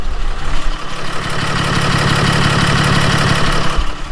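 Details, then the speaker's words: 2016 Ram 3500 6.7 diesel idling cold: steady rapid tick over the rumble, feared as an injector knock (knock at 1800–2000 rpm persisted after injector replacement), found to be a power steering line. "you can hear the ticking noise and I would love to say that all I got to do is a cylinder deactivation I'll be able to find it not the case"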